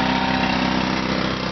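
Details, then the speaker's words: Small-engine DC generator (an engine-driven alternator) charging a low lawnmower battery at high amps after a boost box was used to kick the alternator in. The engine runs steady with a firm low drone, sagging slightly as the charging load comes on. "so right now it is charging the lawnmower battery with a lot of amps so I won't leave it running for long like that cuz I don't want to cook that battery"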